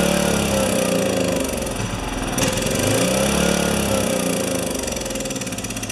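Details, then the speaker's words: Makita G2400R generator (Subaru Robin engine) with a Briggs and Stratton carburettor fitted: small engine thumps unevenly at about four beats a second, surging; runs rough. "so I did this and I got with the feed from the bottom with the gas feed from the bottom and it just ran terrible but it did run"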